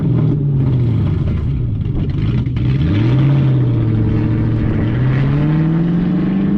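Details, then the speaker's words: MG ZT 260 with the Ford V8, after a new clutch plate and new master and slave cylinders, rear back-box silencers removed: deep, loud, open, boomy burble that swells and falls with each throttle blip. "It sounds amazing. Obviously I've got some back boxes, just need to get them put on, so that's going to be done at some point in the new year."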